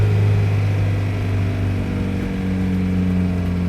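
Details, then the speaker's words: 1988 Jeep Comanche, 2.5L Renix I4, idling with no throttle after being made to start: a steady raised hum around 3,000 rpm, far above normal idle; idle speed set much too high. "3K's too high. Rip. Whoa. Okay, well that's a thing. Idle's a little high."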